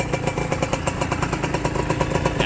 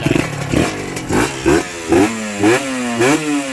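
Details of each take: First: Honda NSR two-stroke motorcycle, square-headlight model, stainless DBS exhaust: quick, even idle popping about eight beats a second; idle setting is touchy, racing when set high and stalling when set low. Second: Honda NSR two-stroke motorcycle, square-headlight model, likely freshly rebuilt, stainless DBS exhaust: crisp throttle blips about every half second, revs snapping up and dropping cleanly with no whine; responsive, healthy.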